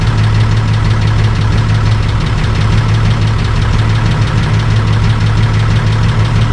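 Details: Holden VL Calais Turbo after bigger turbo upgrade and different exhaust and muffler, first start after the work; deep steady exhaust rumble, even idle with no knocks or rattles, normal idle.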